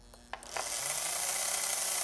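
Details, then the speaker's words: Restored, once-stuck motor of a Märklin SK 800 toy car (about 1945) on the bench, running in reverse and forward via the reversing unit. Light, even whir with fine gear chatter and no binding. Solid motor, normal running. "now we're running in Reverse there and forward so it looks like we've got a pretty solid motor here that's working really well"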